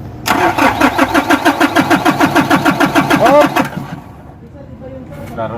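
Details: Nissan NV350 that suddenly died on the road, towed in; fuel filter already replaced: starter cranks steadily about three beats a second for three seconds but engine never catches, a no-start.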